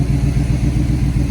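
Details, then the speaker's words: 1978 Chevrolet C10 V8 at idle after fuel pump wiring: uneven lumpy beat with occasional stumble in the low rumble; slight misfire, owner suspects the spark plugs. "what it's supposed to sound like has a slight misfire but I think it's uh the spark plugs"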